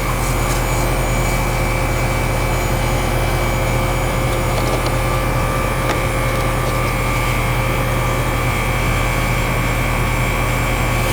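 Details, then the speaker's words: AC air handler after control board replacement (old board corroded and burnt, coil was icing up), cover back on, fan running before charge check: steady low hum with constant fan rush, no surging or rattles; normal running. "Alright guys, I got the cover back on. And fan's running now."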